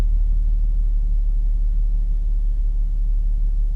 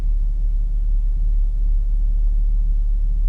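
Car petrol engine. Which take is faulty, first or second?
second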